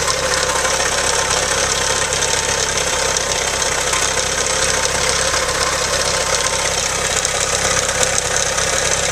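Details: Loud, busy idle with a quick, not quite even tick-tick running underneath; engine ticking at idle, owner suspects a spun bearing, cause not confirmed.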